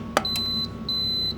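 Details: Vevor auto-open hat heat press (only upper platen heats), switched back on after setting temperature and 20-second time: a click, then two high steady beeps of about half a second each; normal power-on signal.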